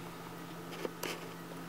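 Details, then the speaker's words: Dead Maxtor hard drive in a PowerMac G5 (2 GHz, liquid-to-air cooling conversion): faint steady hum with two sharp clicks and no normal seek chatter; drive not doing anything, failed. "this maxtor harddrive is dead you know look at this it's not doing anything"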